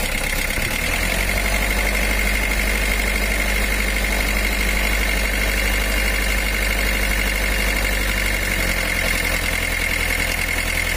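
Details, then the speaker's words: Mitsubishi L300 diesel with a cracked cylinder head: idle has a heavy, slightly uneven beat and wavering revs, sounding down on power; the crack let water into the combustion chamber, causing water hammer and a bent connecting rod that required an engine overhaul. "suaranya pun kayak kurang bertenaga goyangannya mesin dan rpm nya itu tidak berkenan"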